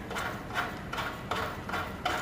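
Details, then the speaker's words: Murray Estate 8/27 dual-stage snow blower during service, belt tension released, idler pulley bearing spun by hand: dry, slightly loud rolling rasp, no grinding, catching or tight spots, not excessively loose; dry but serviceable bearing. "They're a little bit loud and dry sounding, but they don't feel excessively loose, and they're pretty consistent in their feel going around. There's no tight spots."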